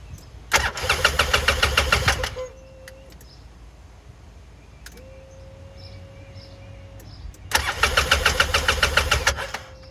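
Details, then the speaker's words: 2012 Polaris RZR 800 S with no spark at either plug; wires, coil, stator and rectifier tested good: two cranking bursts at about three and a half turns per second that never catch, with the display cutting out while cranking; the ignition switch was faulty. "I noticed whenever I turn this over the display goes off when I try to start it"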